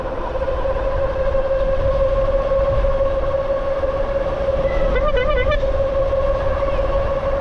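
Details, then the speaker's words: Dual hub-motor e-bike (Bafang G62 1000W rear, G60 750W front) at max speed: strong, constant mid-pitched motor whine over road hiss, really loud and annoying at full speed though fine at half speed; loud but normal geared hub motor whine. "like the motor doesn't sound bad when you're kind of just going like half speed but if you're going m Max Speed it's really loud and kind of"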